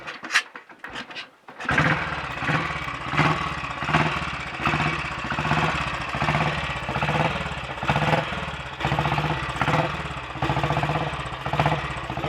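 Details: Royal Enfield Bullet 500 single, ported head, shortened aluminium barrel, 9:1 piston, ignition timing strobe-set, slow fuel flow and weak battery noted: kicks over and catches after tickling, settles into a slow, even thump; running cleanly, exhaust clean.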